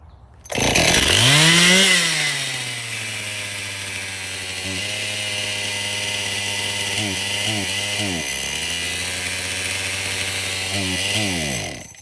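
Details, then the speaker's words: Traded-in Stihl MS261 chainsaw run with fresh fuel, bar and chain removed: it screams up and holds a high, steady rev with no throttle, briefly dipping and recovering. Runaway idle from a suspected crankcase air leak at the crank seal; the fuel line also feels poor. "Well, that thing does run, but it's over speeding, and I'm glad I took the bar and chain off at first. That would have been extremely dangerous."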